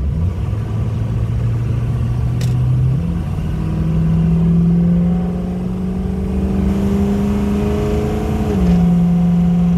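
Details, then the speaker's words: 2006 Ford F-350 King Ranch 4WD, 6.0L Powerstroke diesel, about 50% throttle up to 80 mph on highway: drone rises then drops cleanly at each upshift, no flare, clunk or vibration; normal acceleration with smooth shifts. "smooth crisp shifts there's 80. not a vibration or anything tires don't make a ton of noise the truck drives great doesn't seem to pull"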